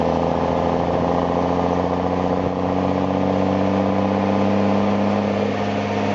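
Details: M35A2 deuce and a half truck after installing an AeroTurbine AT3535XL long muffler with internal resonator, pipe angled at 45°, around 1200–1300 rpm: deep, even, throaty exhaust growl under load, no turbo whistle; normal exhaust note.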